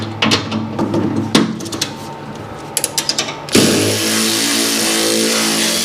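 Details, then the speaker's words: Cordless tool removing snow blower auger bolts: a few sharp knocks, then a strained, uneven whirr that never builds speed. Labouring under load, sounds like a dead battery; not confirmed. "That sounds like a dead battery."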